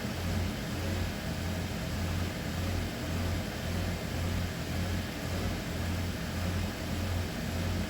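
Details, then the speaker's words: Toyota Prius 30 running, EGR position changed via Techstream active test: steady even knock just under two per second over a quiet engine, starting as soon as the EGR valve opens; no misfires logged. "Ну вот, как начали менять позицию EGR, у нас сразу же застучало."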